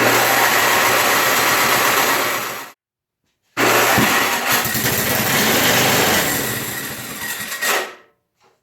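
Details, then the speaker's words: 1980 MTD SnowFlite 5-20 snowblower, new replacement carburetor, choke on, primed, throttle applied: runs ragged, surging, sputtering, cutting out; lean because the carb's main mixture screw was nearly fully closed from the factory. "I've determined that uh this main mixture adjustment screw is pretty much turned all the way in from the factory I didn't check it because I've had really good luck with these carburetors working right out of the box um but this one's essentially the fuel is shut off"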